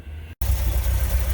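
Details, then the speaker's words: VW T3 Vanagon with crank no-start, after replacing failed ECM: brief dropout then steady even low idle with smooth pulse; normal idle, throttle switch still not closing at idle. "attached and as you can see it's running so it was definitely a bad ECM"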